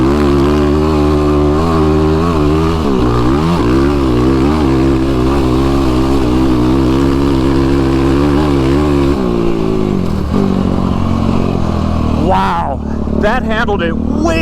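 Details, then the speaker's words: YFZ ATV fitted with a tuned Vortex ECU instead of the flashed ECU, through rough chop with repeated throttle changes: the single-cylinder pulls cleanly without stumbling or cutting out. Throttle response is smooth all the way through. "You guys might have heard that. That was smooth all the way through all that."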